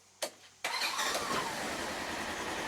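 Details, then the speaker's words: 2018 Polaris Ranger XP 1000 after replacing the brake pressure switch: with the brake pedal pressed lightly, a short starter whir catches cleanly and settles into a steady, even idle. A normal start. "there you it's go simple"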